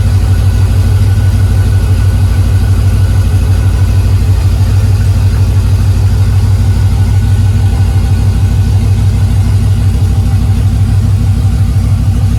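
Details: 2000 Camaro SS with junkyard 5.3 LS1 block and heads replacing knocking 6.0, spilled oil burning off; deep loud even V8 idle with steady lumpy beat, no knocks or misses, running healthy.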